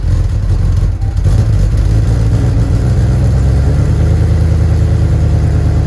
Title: First start with exhaust leaks - Porsche 928 GTS manual trans swap